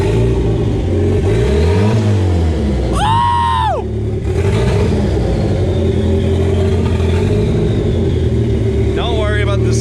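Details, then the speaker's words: Newly turbocharged Miata revving after finally starting following a week of trying to make it idle with new components: strong clean revs rising and falling evenly with a crisp turbo note, no miss, knock or rattle. "other than that though the freaking car finally started holy crap that thing sounds good too son"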